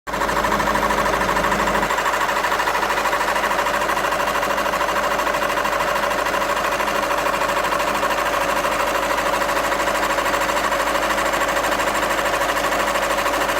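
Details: VW 2.0 TDI (CFHD) diesel at idle with sporadic tractor-like noise: hard clatter at about two beats a second; cause unknown.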